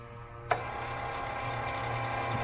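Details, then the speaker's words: AirDog lift pump on a TDI diesel swapped into a Jeep, first priming with empty fuel lines: a click, then a steady light buzzing whir while it still pushes air before fuel is drawn from the tank. "it's just pushing air right now. Everything is empty. Gonna take some time to draw that up from the tank for sure."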